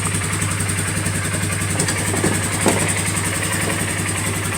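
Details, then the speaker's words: 2018–2019 Polaris Sportsman 450 ATV after cushioning tape was added near the gas tank to stop a knocking rattle: even low idle pulse with no rattle or knock; the fix worked and the engine sounds normal. "that's a little solution that I put right here that's not giving me no issue now all right no rattle"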